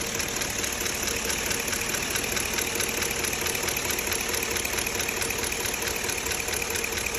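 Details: 2005 Chevrolet Avalanche 5.3 L V8 at 90,000 miles idling with a light, fairly steady tick of about two per second over the engine.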